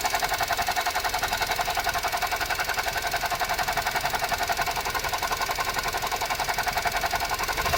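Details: Suzuki Jimny JB64: fast, even, steady rattling chatter about four per second in the upper range, from a faulty alternator, replaced under warranty with a new alternator.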